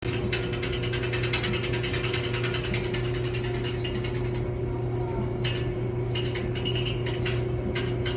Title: Dryer making a weird noise